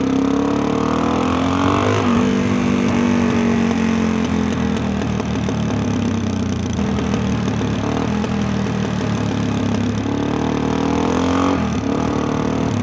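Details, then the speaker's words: Fully rebuilt big-bore dual-sport with a tuned carb, coasting downhill: the single's note falls while scattered crackles sound through the exhaust on closing throttle, which is overrun popping on deceleration. "Do you hear that popping?"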